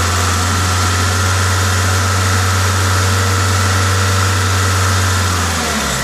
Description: The hissing is my induction kit.